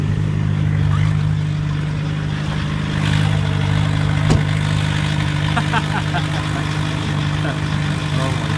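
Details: 1991 VW Jetta turbo diesel, cylinder head retorqued after 1000 km, new battery and starter, after a difficult cold start; revved slightly so alternator kicks in: smooth, even idle, steady low drone, no knocks or misses; normal idle.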